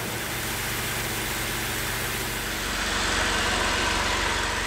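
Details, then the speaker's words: BMW 750iL E38 with 5.4 V12, abandoned 10 years, after a hose replacement: smooth even idle with a soft steady hum, no ticks or knocks, oil pressure light off, noticeably quieter than before; healthy. "ok il est bien éteint voiture est nement plus silencieuse"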